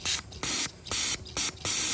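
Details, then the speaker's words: Old 42 lb fuel injectors for a Fox body Mustang, cleaned and tested on the bench: sharp, even hissing spray bursts, about five in two seconds, showing a good spray pattern. "that's got a good spray pattern look at that"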